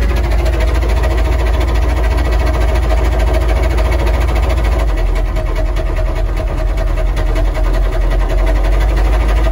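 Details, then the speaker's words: Military Humvee diesel, used for plowing snow, running with almost no oil pressure: deep heavy knocking about three times a second under a loud idle, rod knock. "oh this thing's knocking hella hard there's like no oil pressure and so we're just plowing snow with this truck it's crazy dude"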